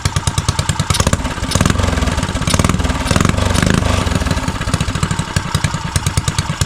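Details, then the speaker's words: Neglected custom Motovox single-cylinder mini bike revived after old gas was cleared from the carburetor, idling outdoors. A quick, even popping beat with light clatter; idle holds steady without stalling, normal idle. "Let me just say idle, guys. That's it, though, gang. Let's just say idle a little bit."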